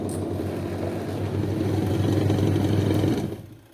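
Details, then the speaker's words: Sanken twin-tub washing machine after replacing a badly seized, hard-turning gearbox: wash motor runs a steady, light, even hum for about three seconds then winds down, normal again. "enteng nih normal lagi ya"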